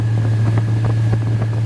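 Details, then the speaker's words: 1988–95 GM fullsize truck with set-timing connector unplugged, EST code, A/C off: deep steady drone with soft even pulses about three a second, running slow like late timing; slow idle. "But you hear it. It sounds totally different. It's like really really hum."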